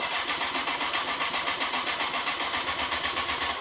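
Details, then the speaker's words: Honda CBR954 Fireblade after six-month rebuild, first start attempt with fuel system previously fully drained: starter cranks steadily about four turns a second with no firing, then stops; no fuel reaching the engine, cause not yet found. "don't want to flood it right definitely no fuel getting to the no fuel getting somewhere what is going on"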